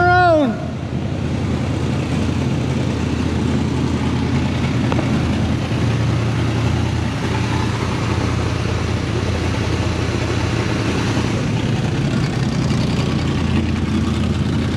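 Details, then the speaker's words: 1975 Chevy K10 V8 revived after sitting 18 years, started with a boost: irregular, lumpy idle with no smooth rhythm, smoking a little; rough idle, suspected blown header gasket. "i can tell there's a header gasket blown"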